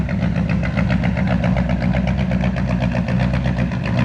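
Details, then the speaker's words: 1970 Chevy C10 with a 327 and HEI distributor, before repair: lumpy, uneven loping idle with a stinky exhaust. It runs rough from incorrect ignition timing; the distributor was installed wrong and the cap and rotor were junk. "shut it off for the love of God damn stinky and noisy runs like crap"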